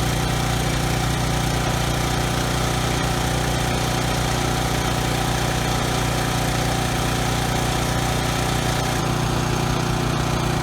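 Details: Briggs & Stratton generator engine after carburetor cleaning and governor tab bent to raise no-load speed toward 61 Hz: smooth, steady constant-speed drone, no stutter or hunting at no load; earlier stutter resolved, running sweetly.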